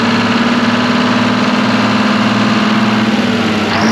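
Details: Twin-turbo Detroit Diesel 12V71 generator after modifications eliminating fan shroud noise: smooth, evenly pulsing idle at steady speed with no rattle or rubbing from the fan area; the engine runs healthy.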